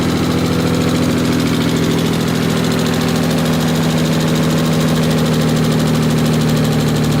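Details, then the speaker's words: Mitsubishi 3000GT VR4 engine first start after sitting over a year: quick, even ticking over a lumpy idle, following engine speed; dry hydraulic lash adjusters awaiting oil, tick fully went away once oil reached the top. "the tick completely went away I was just excited over looking it was just like the they're not actual lifters but pretty much lifters just weren't just to have oil in them yet you know this engine sat for over a year"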